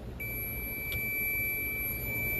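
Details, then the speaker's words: 2016 Ram 1500 EcoDiesel, no-crank/no-start: multimeter continuity check of the pink/white-tracer output control wire on the male side of a suspect connector; clean, steady high beep, so the circuit is good. "let's check the other side of the pink well you can hear it we're on the other side on the male side to the pink we're good"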